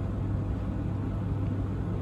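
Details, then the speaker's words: Beko DTGC7000W condenser tumble dryer after repair and reassembly, set to 30 minutes and started: low steady hum with an even rumble, no knocks or scraping; drum turning smoothly, working again (heating still to be checked). "put it on to 30 minutes and press start sounds like it's working again"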